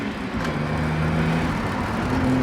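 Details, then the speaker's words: Holden VS Commodore ute after fuel system work, new fuel pump: smooth engine pulls steadily in fourth gear under road noise, clean tone, no stumbling or hesitation; much more torque than before, accelerating normally. "It definitely has way more torque, like even as you're just going fourth gear, just way better than it was."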